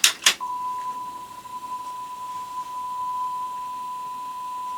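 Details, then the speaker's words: Sony TC-WR665 double cassette deck (probably early 1990s), record deck playing a 1 kHz test tone forward: two clicks, then a steady tone with only a faint waver; sounds a bit nasty, but a tone is a tough test for cassette. "I mean it does sound a bit nasty but that's always a tough test for a cassette we're calling a tone"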